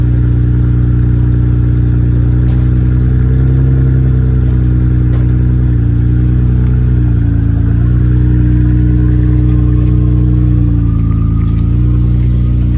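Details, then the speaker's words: Nissan R32 GTR on a cold day after clutch reassembly with resurfaced flywheel, OEM bearings and new throwout bearing: smooth engine hum rising and falling with light revs, no chirp, grind or rattle; throwout bearing sounds good. "She's running. Throw bearing sounds good, no weird noises."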